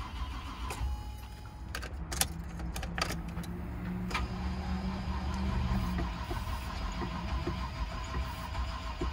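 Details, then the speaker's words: 1990 Range Rover Classic after fuel pump and filter replacement, old gas pumped out: slow steady starter crank that never fires; no fuel pressure at the rail because the new pump was wired backwards, starting fluid used up. "so we got a slow crank it turned over like it did in the other video with starting flip we're out of starting fluid now so we're trying to build some fuel pressure i guess"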